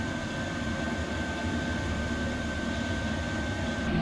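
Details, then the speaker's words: 5kW Chinese diesel air heater in a bus-to-RV conversion, first fire-up after cycling to purge air from the fuel lines. Steady whooshing roar with a constant high whistle, no surging; burning and running normally. "smells like diesel engine smells like a jet plane me it's beautiful that's actually pushing some volume there she is"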